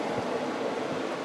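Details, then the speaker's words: Kenmore window A/C unit after replacing the fan motor with a bad bearing, installed in the window: soft, even rush of air with no rattle, scrape or hum; fan running quietly and smoothly. "now let me go ahead and turn it on since a set up in the window and give you an idea of what it sounds like now it's really quiet"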